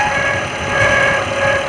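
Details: Maruti Gypsy Euro 3: steady idle with a thin, constant whirring whine in the upper range; bad water pump bearing.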